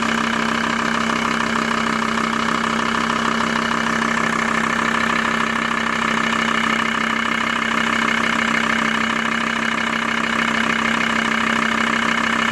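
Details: Steady diesel idle of a VW T4 (ACV engine) with a regular knock riding on top, about 160 a minute; abnormal knock at idle, cause not pinned down.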